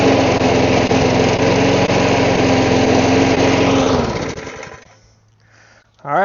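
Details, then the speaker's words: Lawn mower after the carburetor was cleaned and the primer bulb fitted; it still lacks an air filter. It runs with an even, steady beat at constant speed, then shuts down and winds off smoothly. "I guess that's going to be the end of this video. Just needed the carb cleaned."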